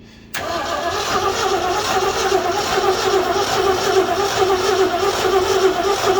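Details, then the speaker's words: 1969 Ford F100 shortbed that sat for years with hood off, water inside and engine partly stuck; starter cranks steadily at about 72 per minute with uneven catches but never fires; plugs possibly oily; won't start. "Okay, hold it. Give it a little gas, it's trying."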